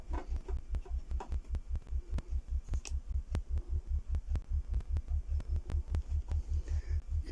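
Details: Speaker after fixing a rattle from a loose ferrite core in one crossover, both crossovers done; deep bass tone pulsing about a hundred times a minute, playing cleanly with no buzz or rattle, the speaker sounds healthy.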